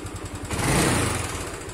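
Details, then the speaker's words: Old Yamaha Mio Sol scooter after carburetor needle and float repair, where revs used to drop slowly; a quick throttle blip and revs fall straight back to a steady idle within a second, with no hanging. "Dan jika kita gas, ini langsung kembali dia, kan? Langsung kembali dia."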